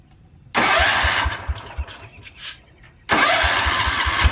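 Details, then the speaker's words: 1972 Wheel Horse Raider 12 lawn tractor, stored 15 years in a shed, while trying to improve idle: engine catches and flares to high revs with uneven pulse, never settling; owner thinks the governor isn't working, causing over-revving. "Things run pretty good, but I don't think the governor's working like it should. So this revving up way too much."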